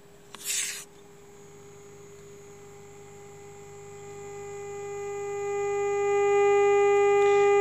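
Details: Orion R545A radio chassis under restoration, AM band fed a 450 kHz IF signal from a generator: clean steady tone around 400 Hz swelling smoothly louder without crackle. The receiver is passing signal properly.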